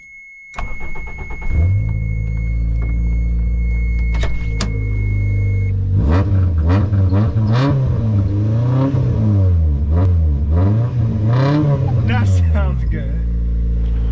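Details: Toyota Tercel started right after the muffler was removed: starter whir, then it catches into a loud raspy drone that swells with each throttle blip; running with no muffler.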